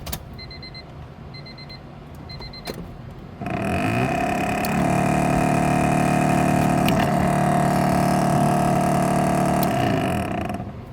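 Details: Old Honda Civic blowing no air: a few chimes, then a steady motor hum under the dash rises to a constant whirring drone; noisy blower motor, suspected freewheeling, cause not yet confirmed.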